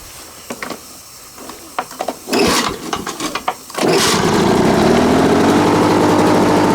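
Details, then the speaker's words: Lawn Boy 4651 mower starting after a few pulls, very smoky, possibly too much oil: low, lazy, uneven beat, running slow and not reaching 3,300 rpm; carburettor to be cleaned, cause unconfirmed. "just sound like it's running a little bit slow as well he did say that he was running slow but I wouldn't say that was 3,300 rpm"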